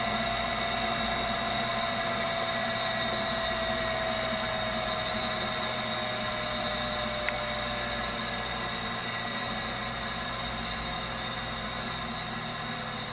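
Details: Viessmann Vitodens 200-W WB2B35 condensing boiler, built about 2011 and about 5 years in service, which intermittently stops heating with no fault codes; radiant-loop zone calling for heat. Steady, even burner roar with a constant fan hum and no surging or banging; firing normally.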